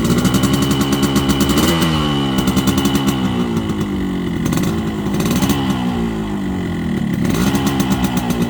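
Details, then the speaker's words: Yamaha RX-King two-stroke motorcycle after topping up two-stroke (side) oil: crisp buzz blipped up and down several times, returning to an even, clean idle; engine said to run smoother after oil refill; normal running. "Nah, setelah kita mengisi oli samping, motor 2 tak ini atau Yamaha Air Racing akan suara mesinnya itu akan menjadi lebih halus dan aromanya agak enak."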